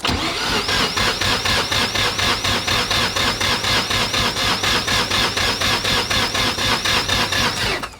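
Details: 1993 Mazda RX-7, 13B-REW rebuild with T78 turbo, Power FC and custom fuel system, first start after years: starter cranks steadily at about two beats per second, never catches. Fuel pressure regulator wiring found reversed.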